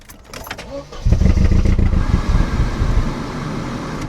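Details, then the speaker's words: Barn-find Mercedes 190E after years sitting, fuel pump primed, during exhaust work: short crank, then catches with revs and runs rough with uneven low tractor-like rumble; hard start after long storage. "She's trying, so let's give her some revs this time. Get some fuel in her. She sounds like an absolute tractor."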